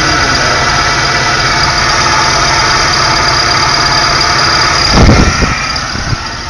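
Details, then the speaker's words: Car at idle, the whole engine wobbling excessively, loud popping when revving down or on downshift: an uneven, lumpy idle with an occasional shaking thump; the owner suspects a misfiring cylinder or spark plug, unconfirmed. "the whole whole car is kind of wobbling right now does not feel right you can see the whole engine moving way too much i don't know if anything sounds weird to you"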